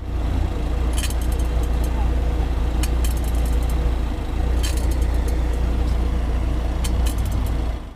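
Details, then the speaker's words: New BMW 5 Series sedan, just delivered: brief coin-like metallic clinks over low idle rumble whenever shifting between D, 2 and P, suspected faulty driveshaft. "倪女士说，车子在挂档的过程中总是会发出金属摩擦的声音，就是那个硬币的那种叮叮当当的声音，就是基本上挂档 D 档挂到二档挂到P 档都是有"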